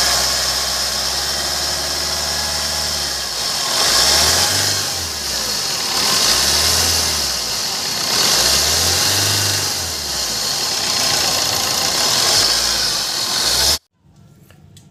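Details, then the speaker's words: Maruti Suzuki Swift VDI diesel: harsh, gritty, grinder-like grinding hiss from startup, rising slightly with revs; worn AC compressor pulley bearing. Fix needs the front bumper and intercooler removed to take out the compressor. "दोस्तों आवाज जो है इसके AC compressor में है"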